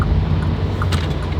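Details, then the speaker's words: Lamborghini Gallardo with a rough idle that keeps getting worse: uneven, lumpy idle with a low throbbing rumble that wavers, physically shakes the car and sounds close to stalling. Cause unknown, and it ran better after a restart. "The fact it's actually physically shaking the car right now. Oh, oh my god. Oh, it's dying."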